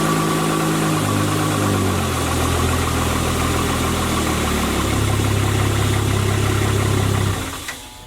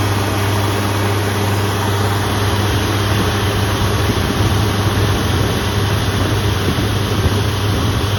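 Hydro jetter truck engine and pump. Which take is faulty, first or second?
second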